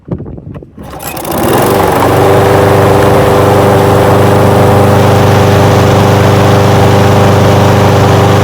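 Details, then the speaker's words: Old curbside Craftsman push mower after carburetor float and needle-and-seat work: pull start catches in about a second and settles into an even, steady buzz with no misses or hunting, normal running. "tell you what that sounds pretty good don't it sounds pretty darn good to me"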